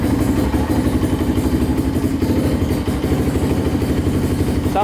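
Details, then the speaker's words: Polaris Outlaw 525 quad, sold as needing a carburetor cleaning, idling and blipping in neutral: quick even pops with no knocks or rattles; engine runs smooth and healthy, normal idle and revs. "it runs pretty good sounds really good doesn't sound like anything's wrong with it at all"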